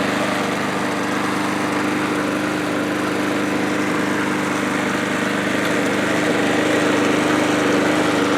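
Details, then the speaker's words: MTD mower engine with cylinder gouging, possibly under-tightened head bolts and compression trouble, treated with engine restorer and oil additive, restarted to check surging: a steady hum with slight rhythmic pulsing, little smoke, low-compression running suspected. "Let's start it up again. See if it still surges."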